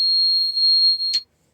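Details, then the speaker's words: Twin Cummins B-series Navy pusher jet boat with fuel problems: single steady high-pitched warning beep about one second, cutting off sharply as alarm is shut off before troubleshooting; cause unknown. "shut that alarm off and let's see what we can find."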